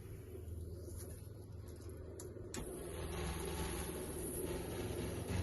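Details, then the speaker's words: Ram Promaster with Truma AquaGo water heater being un-winterized: bypass closed, cold-side valve opened slowly; low rumble then steady rushing hiss as water fills the heater normally. "And then we're gonna start on the cold side and we're gonna wanna open this slowly. And you'll be able to hear the water start going in."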